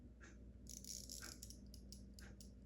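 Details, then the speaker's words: In-wall spring-wound mechanical ventilation fan timer, repaired after sticking on: soft steady clicky ticking over a faint rattle, the normal operating sound. "You can hear a little clicky click. That's the normal operation of it."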